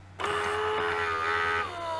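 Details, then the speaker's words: Siemens EQ6 S100 coffee machine that won't froth milk, ceramic valve and pump membrane already replaced by owner: at power-up motor hum starts, holds steady, then drops lower as the new ceramic valve moves; valve switches normally. "3 , the ceramic valve works fine, you can hear that"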